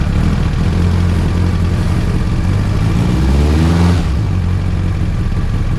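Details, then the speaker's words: Track car started after five years abandoned in a car park, following rewiring and fuel pump priming with a suspected air leak in the fuel pipework: ragged, uneven engine note that won't rev properly; it runs but badly. "as you can tell it sounded really bad it wasn't revving properly but it was turning over and running"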